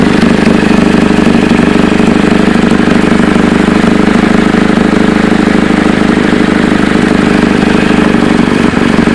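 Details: Chevy Cobalt idling with a loud, raspy puffing chatter that pulses with engine firing; exhaust leak suspected at the flex pipe, the manifold or both, exact spot not found.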